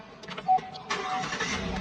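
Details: Car with a dead battery in cold weather, jump-started from a portable jump box rated 4,000 peak amps: a short beep, then the engine catches about a second in and settles into a steady run, starting normally.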